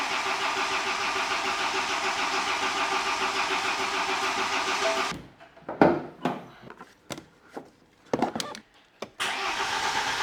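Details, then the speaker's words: BMW 320d diesel, first start after an engine rebuild following timing chain failure. It has fresh 5W30 oil and a new engine ground cable, and had stood for weeks. It starts straight up and runs steady and even for five seconds, then shuts off: a normal start and idle. "smooth how was starts wow it's been standing for a few weeks and it started just right up"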